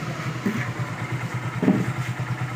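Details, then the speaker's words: Hero Glamour single-cylinder bike after repair of an engine noise caused by a bad clutch-side bearing. It now idles with a quick, even putter and no knock or rattle; the earlier noise is completely gone. "देखिए दोस्तों अभी sound नहीं ए रहा है पहले अभी सुनिए आप लोग साउंड ए रहा है की नहीं जो पहले इंजन से एक साउंड ए रहा था वो साउंड ए गई पुरी तरह से ऑफ हो चुका है दोस्तों"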